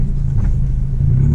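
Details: VW MK6 GTI test drive after lubricating the front sway bar bushings: only low road rumble and body thumps over bumps, with no creak or crunch from the front end; the bushings are quiet.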